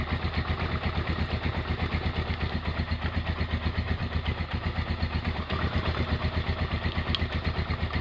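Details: Honda GL100 single-cylinder engine, year uncertain, possibly 2000–2002, after full rebuild with Aspira piston and rings, CDI ignition, valve clearance 0.10; steady regular idle thump with no ticking or clatter, smooth and healthy.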